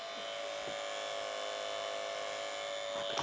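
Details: Xbox 360 console running: loud steady high-pitched buzz with constant tone; source unknown.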